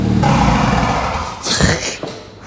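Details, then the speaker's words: Stolen-recovered Ford Fiesta ST180 started on newly programmed keys, running with no exhaust and no coolant: loud, raw open bark that settles with a quick blip, no knocks or misses; sounds fine, just unsilenced. "this one sounds fine this sounds fine"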